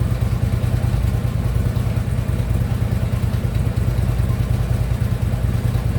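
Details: Harley Ultra Limited V-twin idling after new compensator installed, compensator now quiet; loose clattery knock about three beats a second from lower end, checked with stethoscope, not on one side, source unknown; lower end knock.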